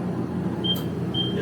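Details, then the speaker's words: Laser cutter startup, with one button switching on the water chiller and exhaust fan together: steady fan and pump hum with two short high-pitched beeps about half a second apart from the chiller; normal startup, ready to run. "If you hit this button, it'll turn on the water chiller and the exhaust fan at the same time. And so we hit that, everything comes up, right? You'll hear some beeping sounds from that thing in a second."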